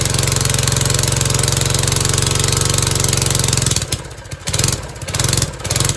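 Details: John Deere ~5 hp single-cylinder replacement engine on 1970s MTD Mud Bug trike, unused 5–10 years, after idle screw reset: putters steadily, dips and picks back up; idle rough but acceptable for now; normal idle.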